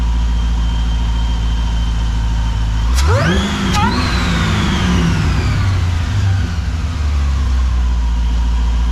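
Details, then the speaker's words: Supercharged Pontiac GTO on first start with newly installed tuned ECU, stationary; strong steady idle then two sharp throttle stabs climbing cleanly and dropping back with a burble, coolant not yet bled; healthy engine revving. "It sounds really good. when you stabbed it pretty heavy. Really good. I like the come down side, the gurgle at the end."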